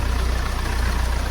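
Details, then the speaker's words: Hyundai/Kia Sportage that wouldn't start, battery reading about 10.5 V, jump-started from another battery: low, smooth idle with even pulses and no knocks. Engine running normally. "दूसरा batter से jump लगा दिया हूं अभी start करके check करेंगे है देखि ग स्टार्ट हो गया"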